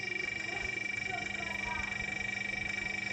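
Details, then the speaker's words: Compressor: steady hum with a high ring and an even pulsing knock about two or three per second; noise from internal rotating parts (rotor, piston, cylinder, connecting rod) where lubricant has run out, internal mechanical knocking. "अगर किसी compressor से इस प्रकार की आवाज आ रही है तो वह समझ लीजिए कि उसके अंदर घूम रहे पार्ट्स की आवाज है जैसे उसका रोटर पिस्टन सिलेंडर और कनेक्टिंग राड ये सब रोटेट जब करते हैं तो वहां पर आवाज आती है"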